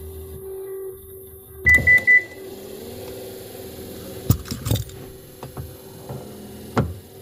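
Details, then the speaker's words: 2015 Subaru Outback power liftgate, tested with support rod removed: three warning beeps, then steady motor hum broken by sharp clicks; the gear-to-motor mount is loose and the gear assembly is likely worn. "it feels like this is loose look at this this thing is loose right here see it's this is the gear and this is the motor so it's loose here somewhere"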